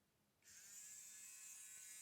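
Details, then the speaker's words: Generic JSDA JD8500B electric manicure/pedicure drill handpiece motor run from a bench supply at 15 V DC, 1 A limit, after a DIN connector fault: spins up in about half a second to a clean, steady high whine, no grinding or stutter. Normal motor running. "and as you can hear and see on the power supply it's working perfect"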